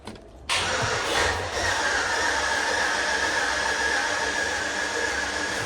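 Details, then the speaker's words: Junkyard LS V8 in the Turborado, cranking without starting with a compression tester fitted: starter spins fast and perfectly even, no compression pulses; test shows only about 30 psi per cylinder. "It just sounds like it has no compression whatsoever."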